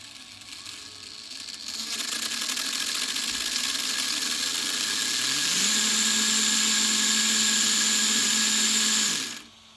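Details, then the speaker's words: RC Sweet Tooth truck after new motor and gear upgrade, gear possibly incompatible (18/17 vs 21 teeth) under no load: steady high whine with harsh gear hum; poorly meshing drivetrain gears. "it does not sound good and i don't know why it sounds like that and i just don't know why"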